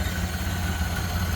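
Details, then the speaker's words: 1928 Ford Model A coupe with a 201 cu in L-head inline-4, water cooled, idling at the front with the hood opening. A low, even thrum with a steady beat and no knocks or ticks, running smoothly: normal idle. "But look at how smooth this thing runs. Just sounds great."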